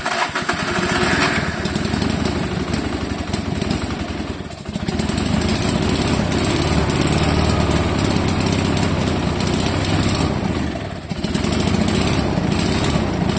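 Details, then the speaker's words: Fiat Jolly with a 500cc engine, on its first real run in several years after the faulty factory carb was replaced with a lawnmower carburetor: a steady, buzzy idle with a couple of brief dips, no cutting out. It runs well. ">> Runs pretty good. Timing's really Runs nicely. Well, this was a total success. The car runs pretty darn good, uh especially for being its first real run in several years."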